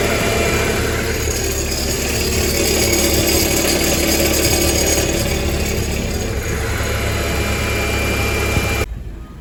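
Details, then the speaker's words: High-mileage BMW E46 318Ci with N42 2-litre engine, known for timing chain failures, settling to idle with a light, fast metallic rattle, steady with no load; suspected timing chain rattle, source later doubted. "So let's have a listen to this chain rattle."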